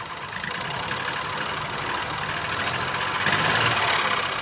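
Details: 2019 Ford Focus IV 1.0 EcoBoost petrol, B7DA, 998 cc, 125 PS, 91,787 km: uneven, lumpy idle with a regular stumble three to four times a second; dead cylinder 1 with no compression.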